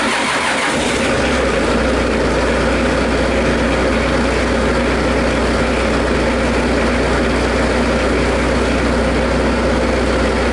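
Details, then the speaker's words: Bobcat after fuel tank pick-up tube fix, fuel system primed with returns cracked: engine catches within a second and settles into a steady even drone, no misses or surging; owner notes it usually runs rough briefly then smooths. "That's not the exact right way to do it, but this has happened many, many times out in the field, and normally I can get it running again this way. It runs rough for a couple minutes and smooth it"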